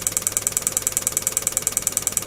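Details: Relay module on a +5 V supply, signal generator pulse rate pushed above 10 per second: crisp, even clicks around twelve a second merging into a buzz; relay switching normally as commanded.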